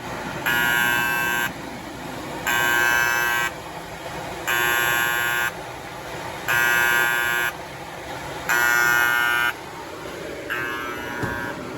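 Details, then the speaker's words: Kyungdong Navien agricultural produce dryer showing overheat error E-1: loud buzzer pulses about one second on, one off, as the bimetal temperature safety switch trips and cuts power; the sensor tests fine and the switch won't reset after power cycling. "이건 애가 우는 거야. 애가 우는. 이 가열되면은 이게 안전 스위치가 이게 작동이 됐다는 거야 지금."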